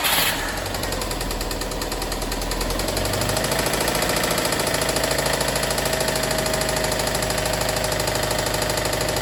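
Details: Subaru WRX STI engine at idle; rapid uneven knocking about three per second never settling; engine knocking, owner concludes engine must come out.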